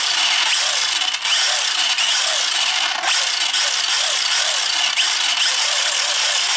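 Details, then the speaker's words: 1/8-scale toy-grade Hennessey Venom GT RC car with a new Surpass Hobby motor, fitted after the old one burned out: a high-pitched electric whine that rises and falls smoothly with throttle blips, no grinding or clicking. The rear dips on acceleration; it runs normally. "so as you guys see we are back up and running with this bad boy"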